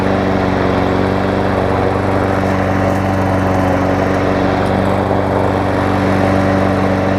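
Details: Toro self-propel mower, 6.5 hp Tecumseh, after new blade, air filter, primer bulb, carb clean and service, carb still wet, checking for fuel leaks: steady even chug, no misses or surging; runs healthy.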